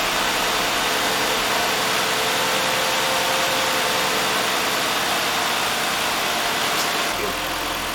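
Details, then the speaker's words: 2005 Ford Freestyle 3.0 L, previously misfiring on cylinder one with lost power, after repair with the intake manifold refitted and coolant refilled: steady, even idle with no stumble, running smoothly with no misfire felt. "the car is running very well right now i don't feel a misfire it runs really smooth"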